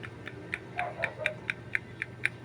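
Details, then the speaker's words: Noisy motorcycle engine that the owner says ran dry of oil: sharp metallic ticking, about four a second, over a faint hum; mechanic suspects crankshaft or connecting rod play, possibly side bearing or clutch housing; engine knock. "Ganito ang tunog ng mga issue ng sigunyal, connecting rod kapag yun ay natutuyan ng langis o kaya napabayaan lang."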